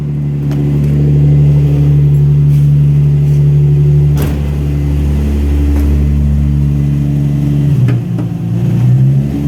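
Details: Nissan G35 petrol engine idling with a light, steady tick about four times a second under a low hum; owner does not know the cause.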